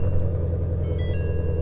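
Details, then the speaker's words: Salvage Ford Mustang GT350 at auction, just started, before a five-minute warm-up: deep, steady low rumble with an even pulse and no knocks or ticks; normal idle. "wow this thing sounds good I think sounds really good I'm gonna let this thing warm up and then I want to hear the exhaust"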